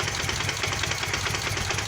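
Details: Kawasaki VN800 Vulcan motorcycle bought a week ago, with oil leaks at the front cylinder head; owner suspects knocking from the lower engine. Fast, even knocking over the idle beat with no gaps: engine knocking at idle, cause unconfirmed.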